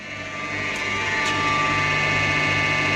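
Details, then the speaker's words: Inverter starting while pulling about 40 A from a DIY battery during a discharge test: whirring tone swells then holds with a rough edge; one of the inverter's cooling fans is worn, noisy only when cold. "it's uh that's one of the fans in the xia inverter it's not good anymore happens only if it's cold"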